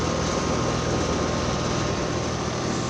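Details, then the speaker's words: Trane XR12 outdoor heat pump running in heat mode, steady fan rush and compressor hum; coil frozen solid with ice, blowing cold air out, not defrosting. "Alright, here's this Trane running in heat mode. Oh, look, it's frozen."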